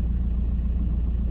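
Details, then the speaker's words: 2008 VW T5 van, 132,000 miles, diesel at idle: loose uneven knocking under a low rumbly idle with clutch out, disappearing with clutch pressed; worn dual mass flywheel, clutch also slipping, both being replaced. "you can hear it it's a knock I don't know if you can hear it on the video so I'm just going to go quiet and see if you can hear it there's like a"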